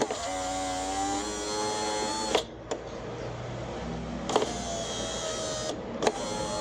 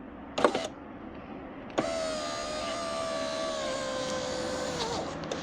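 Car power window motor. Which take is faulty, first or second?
second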